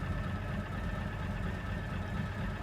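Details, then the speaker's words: Warm 1967 Chevrolet Chevelle SS V8 idling before a test drive: steady low burble with an even rhythm and a faint whine from its timing gear (not a chain). Smooth, healthy normal idle. "We're idling real nicely. We'll keep an eye on our test temp gauge, and let's take it for a little test drive to see how she runs."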